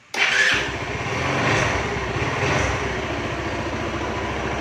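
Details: Kawasaki Rouser hard starting troubleshooting: engine catches after a brief crank and settles into an uneven, unsteady idle; cause not yet pinned down.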